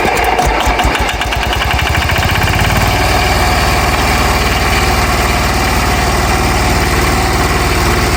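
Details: Hatz single-cylinder diesel on homemade Sears garden tractor, started by building momentum through reduction to the flywheel; thumps catch, pick up, then settle into a steady chugging beat: clean start, normal idle.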